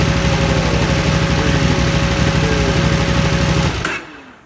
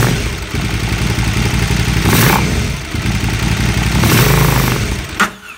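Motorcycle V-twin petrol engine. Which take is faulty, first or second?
second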